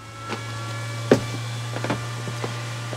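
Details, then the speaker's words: Newly installed JP Heater diesel heater replacing a Truma gas heater, first start after fuel line primed: steady low hum with scattered soft ticks and puffs from the exhaust outlet as it lights; normal startup. "Ah si, ça, j'entends. T'entends du bruit? Ça démarre."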